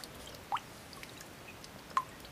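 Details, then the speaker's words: Drain valve on an electric heating system, reinstalled with Teflon tape: single water drops landing about 1.5 s apart in a quiet room; still leaks however tight, rubber seal washer needs replacing. "all right i put the valve back on and it's still leaking no matter how tight i make it"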